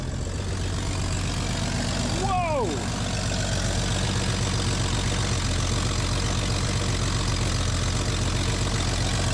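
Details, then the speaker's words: 1965 Chevy C10 with cheapest eBay carburetor, untuned, first start straight out of the box: fired up immediately without pumping, steady even low burble idle, no misfire. "Whoa. That's incredible. Wow. Dogs are excited about it, too. I mean, gang, that fired up like immediately,"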